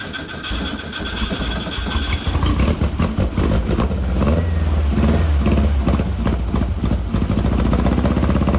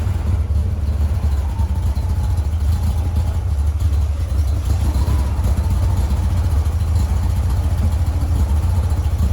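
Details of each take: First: 1956 VW Bug flat-four, twin replacement 40mm IDF/HPMX carbs: lumpy uneven idle with missing beats, running on two cylinders off the passenger-side carb only; driver-side carb gets no fuel, float needle suspected stuck, its adjustment screws disconnected. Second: 1956 VW Bug flat-four with twin replacement 40mm IDF/HPMX carbs, after fixing the fuel-leaking carb: even steady low thrum, no missing beats, firing on all four cylinders; best it has run lately, adjustments still out of whack, linkage unsynced.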